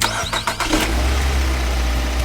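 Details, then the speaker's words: Car that previously wouldn't start despite throttle valve, spark plug, ignition coil and oil line checks, after repair: a few quick cranking bursts, engine catches at once and settles to a steady, even idle; clean healthy start, fault solved. "Look, one success. Try again. Success again. The power is very strong."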